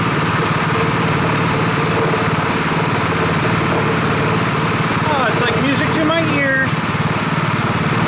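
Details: Rebuilt Honda 5.5 HP single-cylinder engine at first start after rebuild, run outside: steady low-speed chug at about four beats a second, even and unbroken. Idle is lower and better than the other engine; healthy normal idle.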